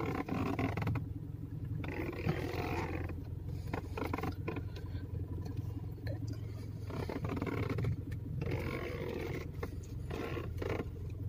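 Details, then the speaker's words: 10-year-old Mitsubishi Pajero: rubbery squeak and groaning creaks over idle hum when turning the steering wheel, especially left; noise traced to the steering column, owner suspects a rubber part needing lubrication. "It's like a rubbery, squeaky sound when I turn the steering wheel."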